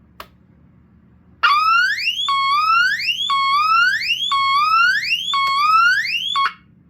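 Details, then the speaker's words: 1977 Teledyne Waterpik D-2 Sonic Siren ionization smoke alarm on 9V battery: loud rising whoop repeating about once a second, each sweep climbing in pitch then restarting; siren working normally. "See? It sounds completely different than what you were expecting it to sound like."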